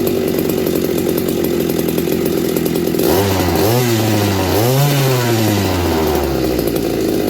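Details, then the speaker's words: McCulloch MC49 chainsaw after rebuild, ignition points fixed: high two-stroke scream dips into the cut and climbs straight back, running clean and even under cutting load; healthy saw. "I really don't know how to end this video I mean it's she's running real good"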